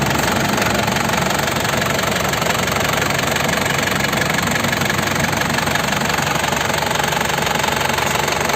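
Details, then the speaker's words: 2003 Isuzu Panther LS diesel, well kept, new Delta Lube oil and filter, engine warmed up, oil filler cap opened to check for smoke; even, steady idle clatter with no stumble or hunting. Normal diesel idle. "Ini mesinnya juga udah saya panasin, suaranya sudah stabil, masih enak."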